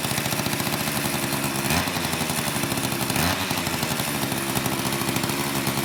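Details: Old Craftsman two-stroke chainsaw after long storage with a gunked carburetor, cold in a shop of high 50s to low 60s °F, mixture screws untouched; steady even buzz holding idle speed without stumbling or dying.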